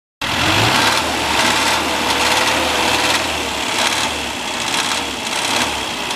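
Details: Classic Mini, towed in for abnormal engine noise: engine runs with a rough, uneven pulsing rattle over the idle, roughly once a second; cause not pinpointed.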